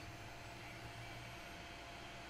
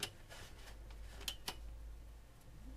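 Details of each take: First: Vintage PC with Gigabyte M55S-DS2 board, Athlon 64 X2 3600+, 8500 GT GPU, 400 W power supply, at power-on: quiet steady fan hum with no rubbing, clicking or surging; fans healthy. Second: Vintage PC with ABIT AX8 motherboard, 120 GB hard drive, floppy and CD-ROM: at power-on the debug card blinks for a second with faint irregular clicking and no fan spin-up; owner guesses a faulty power supply can't deliver enough power to start booting.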